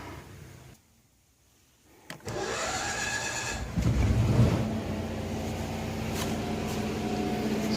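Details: Kohler 7000 W generator in a bus, runs poorly, spark plugs gapped at .030: fires up after a pause and settles into a steady even run with no load, choke about halfway on; normal running.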